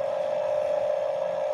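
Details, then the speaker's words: 1/4 HP electric motor driving WPA 40 1:20 gearbox via 2in/4in pulleys and A20 fan belt, powering a No.12 manual grinder conversion: even, steady mid-pitched hum with no rattle, grind or speed wobble; normal motor and gearbox hum. "Nah, seperti ini teman-teman ya. Ini dari dinamo, lalu tertransmisi fan beltnya ke gearbox, perputarannya seperti ini, dilanjutkan sampai ke"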